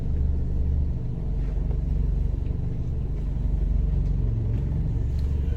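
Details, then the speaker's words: 2011 Ford Transit Connect after a water pump replacement, warming to mid temperature with the heater on. The bearing whine is gone and a low, even rumble holds near 900 rpm without the usual stutter: a smooth, healthy idle. "this is the first time that since i've owned the damn thing that it's actually been purring like a goddamn kitten"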